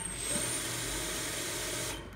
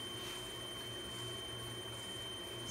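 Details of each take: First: Grizzly G0704 CNC conversion spindle on a VFD; short high squeak just as the spindle starts, with a small ~5 Hz blip while spinning up, then it catches and takes off; squeak on spindle start, cause unclear. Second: Grizzly G0704 CNC conversion spindle on a Hitachi WJ200 VFD under PWM control, run at about 3000–5400 rpm then stopped hard: clean, steady high whine with no grinding; added braking resistor works, stops without tripping the drive.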